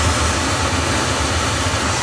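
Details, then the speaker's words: Oil burner after its pump pressure was raised from about 100 toward 140–150 psi gives a brief, steady, even flame roar with no pulsing or rumble; now firing smoothly, unlike before. "definely running better I just I put my hand in front of the flipping thing before before it was like really bad get a little L of here maybe that sounds different that sounds better it ain't looking too bad in there"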